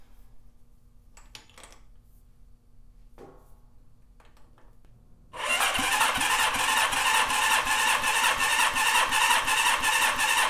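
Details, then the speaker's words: Rebuilt Honda CB550 engine, cold and not broken in, on the bench: brisk starter whirr with a steady, even beat; the formerly worst cylinder 2 reads 160 PSI, up from 97, healthy compression. "All right, this was the worst cylinder and we're at 160. So that's awesome. Huge improvement there."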